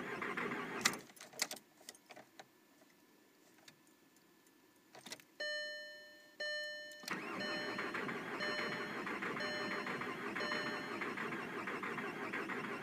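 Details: 2003 VW Golf TDI 1.9 L. A few clicks and chimes, then the starter turns the engine steadily but it never fires; cranks but won't start. Battery is charged, fuel is present, the shutoff solenoid is powered, the ASV is open and the timing belt is tight.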